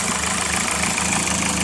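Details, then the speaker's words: Engine after finding the cause of a clunking noise on one side, first feared piston slap or rod knock: steady, even idle with only a light lifter tick and no clunking or knocking; no leaks, engine sounds healthy. "was the cause of that noise so I'm glad to hear that everything else just seems to be running fine there are no leaks"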